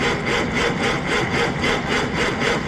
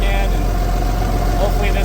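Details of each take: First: 1956 Century Resorter boat marine flathead engine, sat years in a field, on 6V battery: starter cranks about four compressions a second, pauses, cranks again, never catches; priming brings debris out, tank fuel suspected contaminated, to run from jerry can. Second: Marine flathead in a 1956 Century Restorer boat, first run after years sitting in a field, fuel from a jerry can, cooling hooked up, short run: deep steady low rumble, no knocks, misses or surging; normal running.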